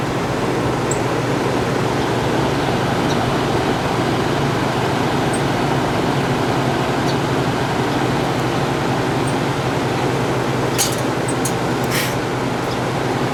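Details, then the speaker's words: 1967 Chrysler Airtemp 6000 BTU window AC, model L06-72, running with compressor: steady fan and compressor roar, then sharp ticks as something came loose and went through the fan blades. "Something came loose and went through the fan."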